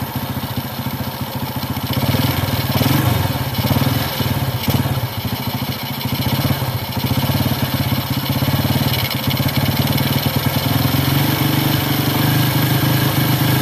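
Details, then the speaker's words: Carbureted motorcycle (Honda Grand, Yamaha F1ZR or Honda C70) with the air screw set slightly too rich while warming up: steady single-cylinder idle with a heavy, lazy beat. Starts instantly in the morning. "Itu agak berlebihan."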